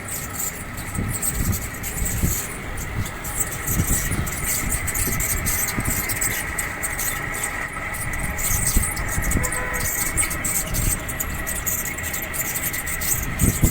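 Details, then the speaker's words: 1.5-ton split AC outdoor unit fan before repair: steady whine over uneven rumbling rattle as the fan spins; fan motor bearings are worn, later replaced. "इसके bearing खराब हो गए हैं जिसकी वजह से ये आवाज कर रहा है।"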